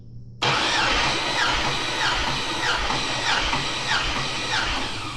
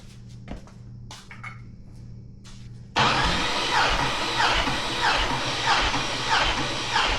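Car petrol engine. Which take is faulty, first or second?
second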